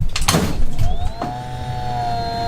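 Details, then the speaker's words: AMD Radeon Fury X AIO water cooler after coolant refill, underfilled with air left in loop: a few clunks at power-on, then steady high pump whine with a rattly edge; still making the same noise. "it's definitely still making the same noises"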